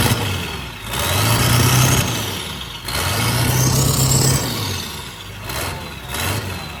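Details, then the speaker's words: Figure-8 race school bus turbo diesel with a new custom exhaust, before the power tune: deep rumble rising with each throttle blip, a loud, clear turbo whistle climbing over it; healthy, strong-running engine. "Hear that turbo now. I almost can't hear you talking. Hit it again. Thing's ready to rip, dude."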